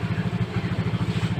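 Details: Yamaha Mio J injected scooter after replacing the MAP sensor that caused hesitation under throttle: small single thumps at about eight pulses per second in an even, steady rhythm with no stumbles, a clean healthy idle with the MIL off.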